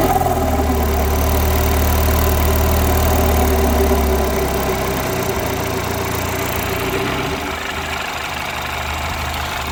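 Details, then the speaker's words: Citroën DS3 at steady idle with a fast, even puffing chuff, louder near the front pipe; the downpipe is hanging off and blowing at its joint. Decat downpipe swap unfinished because the O2 sensor couldn't be removed. "sounds like it's blowing from here, so I wish I managed to get that done."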